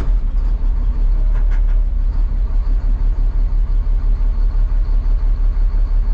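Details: Caterpillar 3126E truck diesel after replacing a bad injector found by cut-out test (earlier skip and power loss). Deep, steady idle with an even low pulse of about three beats a second and no knocking; the engine runs smoothly.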